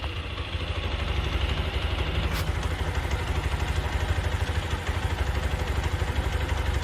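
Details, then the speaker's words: TVS Apache RTR 160 4-stroke single after service-center repair for a kit-kit tappet/piston noise: even, steady idle thump with no ticking or tapping left; engine healthy. "अभी sound काफ़ी अच्छी है और कोई जो engine की आवाज़ थी किट किट की वो अभी इसमें बिल्कुल भी नहीं सुनाई दे रही है"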